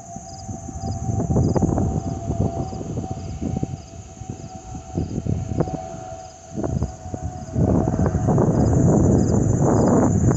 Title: Airbus A320 family FOPP whistling sound